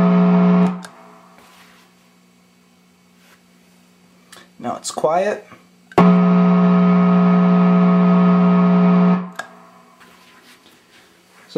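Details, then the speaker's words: Hughes & Kettner Switchblade 50 W amp with ISP Decimator G-String pedal on a shared power daisy chain: steady low 60 Hz buzz cutting in and out as the effects loop switches, with guitar notes; ground-loop hum. "got quite a bit of a problem there and it's been compounded because now there's a 60 Hertz hum"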